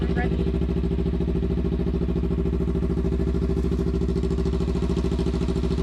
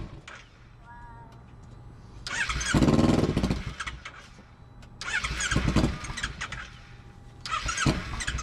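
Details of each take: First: Motorcycle sitting about eight months after a crash, not winterized, after replacing bad fuel and spark plugs: even, regular twin-cylinder pulses at a settled idle, no misses or stumbles; running properly. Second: Motorcycle unused about eight months after a crash and not winterized, battery charged and lights work: starter repeatedly spins it into a brief rough burst about every three seconds, then it dies; starts then dies, cause unknown.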